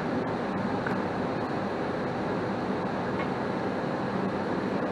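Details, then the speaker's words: 80% single-stage Goodman natural gas furnace after the low gas valve outlet pressure was adjusted up, 68°F return and about 109°F supply air. Steady, even burner roar with smooth blower rush. Normal running, repair resolved. "and she's running fine so i would walk away all this was was a simple gas pressure issue and we resolved it"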